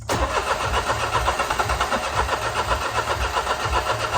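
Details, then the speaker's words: 2009 Smart Fortwo 451 with hard cold start; gauge teed into fuel injector rail reads about 30 psi versus roughly 50 expected; steady starter churn with no catch, long no-start; owner plans to drop the tank to address the fuel pump. "anyways um I should be hitting 50 psi that 30 is a bag of BS so we're going to lift the car up drop the tank"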